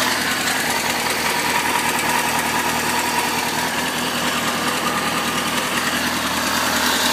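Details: 2004 Kawasaki ZX-6R at idle with a light, fast ticking about two to three per second over the engine; unexplained top-end noise, owner suspects the tensioner.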